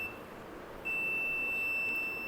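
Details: Inverter AC outdoor PCB with a burned area near the relay section after a high-side to low-side short: the meter gives a steady continuous beep in continuity mode across low-side capacitors C18, C29, C89 and C105. They are shorted to ground, and the microcontroller is damaged and needs replacing.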